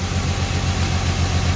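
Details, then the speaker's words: 2008 Dodge Charger 2.7L V6 with code P0302: low, uneven idle with a rhythmic stumble in the exhaust beat from a dead misfire on cylinder 2; coil or spark plug not yet determined. "Now the cylinder has a dead misfire. I mean, you can tell when you're driving, you can probably tell right now."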